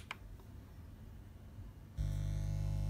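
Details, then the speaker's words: Pro-Ject Essentials II turntable into a Pro-Ject Phono Box powered by an unearthed DC adaptor; steady low 50 Hz buzzing mains hum, quieter with the grounding lead reconnected but still present; mains hum from missing earth. "okay so we can still hear the buzzing but obviously it's a lot quieter now because I've collected a grounding lead back on"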